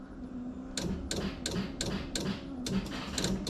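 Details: LS-swapped Nissan 350Z, engine off at key-on, with a new IPDM and relays installed and everything grounded: sharp clicks in quick irregular bursts, about three a second; relay chatter persists, cause unknown.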